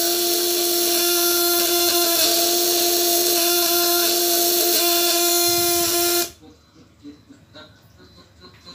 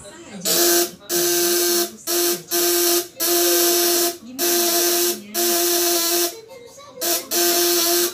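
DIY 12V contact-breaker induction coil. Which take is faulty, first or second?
first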